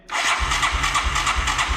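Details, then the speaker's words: 1984 Yamaha YTM200 that sat unused for a long time, steady rhythmic cranking that never fires; a no-start from carburetor fuel starvation. "that just won't start so if it's a carburetor issue that means you're not getting fuel"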